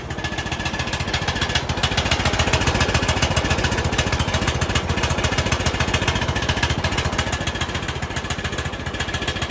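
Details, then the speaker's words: Bolens riding mower single-cylinder after carb cleaning (diesel had been put in), on full choke: runs fast and even with loud, raspy, popping exhaust note; exhaust leak suspected, not confirmed. "well it's running but it's making a lot of noise sounds like it's got an exhaust leak so the motor runs but we've got another issue"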